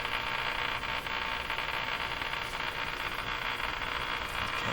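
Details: Eaton's Universal Electrohome floor-standing tube radio after replacing the last two original wax capacitors: steady low hum with constant hiss and crackle while tuning; hum source not pinned down.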